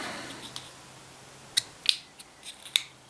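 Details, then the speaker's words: Carburetor fuel pump diaphragm removed from a machine: sharp dry crackles like stiff plastic when flexed instead of soft rubber; diaphragm hardened, no fuel inside, identified as the problem. "shouldn't sound like a piece of plastic. Hear that? It's supposed to pump your fuel. Yeah, that's the problem."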